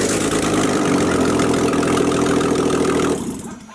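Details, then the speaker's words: BMW E46 rebuild, first start-up with E90 six-speed gearbox fitted: six-cylinder runs smooth and even at fast idle for about three seconds, steady note, no ticks or knocks, then shuts off cleanly; normal running. "Yo, it sounds nice. Shut! She's awake. She's awake, I'm sure."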